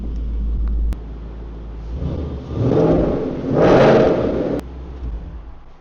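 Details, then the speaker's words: 2013 Mustang GT convertible V8, 126,000 miles, wreck rebuild, running with air conditioning stuck on (no control fitted): low steady rumble with two smooth rev swells and faint whir underneath; A/C load not upsetting it. Normal running. "Hey, got some air conditioning going on, but I can't shut it off cuz I don't have a control."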